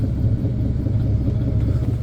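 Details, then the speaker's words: Chevy tire service truck, started after days idle in cold weather, PTO engaged driving the air compressor: deep steady rumble with even pulsing compressor beat, building air smoothly; PTO air compressor running normally. "oh yeah the compressor's running right now you can probably hear"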